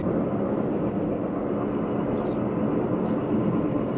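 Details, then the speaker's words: Leapmotor C11 electric car at 4,370 km, driving: steady low droning roar that changes with steering load, no engine behind it; suspected worn front left wheel hub bearing. "да Похоже передний левый подшипник ступицы и это на 4370 километров"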